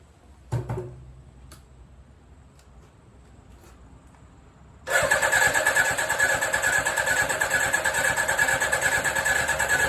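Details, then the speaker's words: 1983 Suzuki GSX750ES four after rebuild, carbs newly installed, tank primed, first start, no exhaust fitted, maybe needing choke: brief cranking, near silence, then suddenly catches into loud open-pipe idle; slow to build compression and draw fuel, then runs on all four. "that took a while for things to sort of get a bit of compression and then suck some fuel in and whatever but uh yeah it's actually doing something and sounds like it's running on all four"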